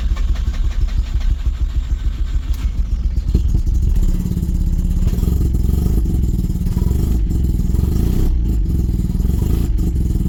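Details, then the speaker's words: Mazda RX7 rotary, started to move it onto a trailer before diagnostics: lumpy, uneven low exhaust pulses that lope as if only one rotor were firing, a misfire; owner unsure of the cause. "that doesn't sound good at all"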